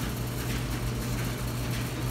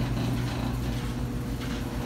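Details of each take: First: Dryer test run after debris was cleared from the blower housing and the unit reassembled: a steady low hum of drum and blower with no rumble or scraping. The earlier rough rumbling noise is gone, so it is running normally. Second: Dryer running with a steady low, rough rumble and grumbling texture, before disassembly; suspected foreign debris caught in the blower housing, checked by removing the back panel.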